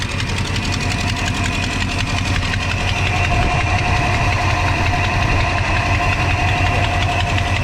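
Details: 1982 Chevy C10 5.0L V8: steady idle with light, fast ticking loudest on the right side at low idle; caused by a broken exhaust manifold gasket, also damaging spark plug insulators.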